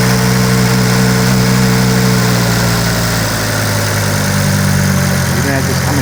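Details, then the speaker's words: 2006 Volvo XC70 with a P0016 code after an engine rebuild, still cold and trying to drop to idle rpm: uneven, lumpy beat over a low hum that is getting worse; rough idle, cause not confirmed. "Hear it now. It's trying to come down to idle RPMs. Is getting even worse."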